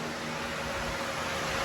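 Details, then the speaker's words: Two new electric cooling fans on an 83 Chevy K10 with LS swap, jumped at the relays: strong steady rush of air, smooth even hum, no ticking, rubbing or wobble; both pulling serious air through the grille, healthy. "Well, they're plugged in, as you can hear them. I got the relays passed, and they're both blowing out serious amounts of air."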